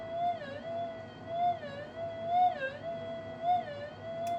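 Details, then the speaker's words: Minelab SD2000 metal detector on an untuned channel, with a magnet moved side-on near the coil: a steady mid-pitched tone that dips and wobbles about once a second, which is the earth field signal. "All right, that's the earth field. So I can cancel that out."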